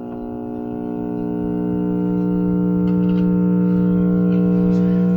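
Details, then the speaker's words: 1963-64 GE T238B AM/FM radio powered up through a variac and bulb tester, tuned near 900 on AM: steady low hum with overtones that swells slightly and holds; reception is very weak and a capacitor is suspected. "Yeah, it's something. You can hear it humming. That capacitor."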